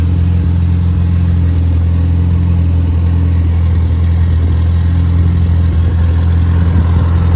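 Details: Rebuilt Triumph Spitfire 1500: shaved head, larger intake valves, 270 cam, flat-top pistons, double valve springs, duplex timing chain, new bottom end and bearings, compression over 180 psi, oil pressure improved; deep steady even note, no misses, knocks or ticking — normal running.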